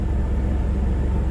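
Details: Chevy Blazer that cranked but wouldn't start, fixed by replacing distributor cap and rotor after two months sitting: steady, even low rumble with no misses, knocks or stumbles; idles smoothly.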